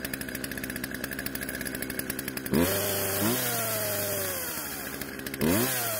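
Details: Poulan two-stroke chainsaw out of storage, after carb adjustment, chain tensioned and sharpened; idles, then revs cleanly in two throttle blips and settles back smoothly; idle speed needed adjusting to stop chain creep. Normal running.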